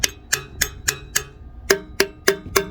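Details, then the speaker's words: 1969 Lincoln Continental Ford 460 V8, sitting 12 years: taps on a free intake valve, crisp and ringing about three per second; valve 5 is a little tight and needs more pressure to ring, while valves 7 and 8 remain stuck. "5, it's a little tight. Takes a little more pressure to make it noisy. Whereas it should just be, you know, like"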